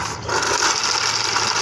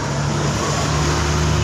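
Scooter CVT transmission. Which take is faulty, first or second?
first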